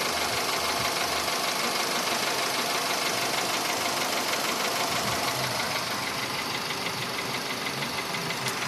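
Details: VW Polo Sedan engine at steady idle, now 67,000 km: a fast, fairly even light tapping about three a second; it appeared faintly around 61–62,000 km and has sharply intensified; the cause is unknown.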